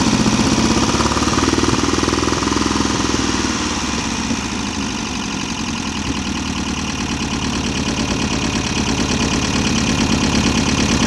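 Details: VW Type-3 Fastback air-cooled carbureted flat-four, just reinstalled with its loose cylinder heads retightened, first start: a loose, uneven idle with light ticking about three per second. The owner suspects he misadjusted the valves; they need readjusting.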